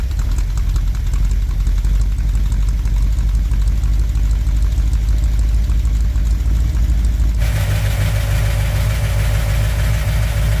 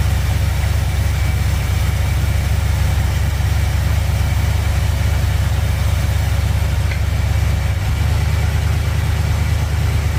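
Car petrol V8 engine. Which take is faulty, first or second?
first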